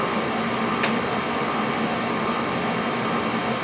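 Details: Oil burner on a no-heat call firing after the pump was bled of air: steady, even roar with no sputter or pulsing, burning cleanly on an air-free oil supply; normal burner operation.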